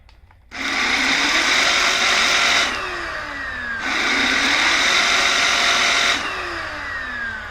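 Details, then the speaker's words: Onson D18E cordless stick vacuum head brush, after superglue repair of the broken plastic piece holding the roller: the motor spins up to an even high whir, cuts off and winds down, then runs again smoothly. Working normally. "So I just vacuumed the house with this and it's running fine."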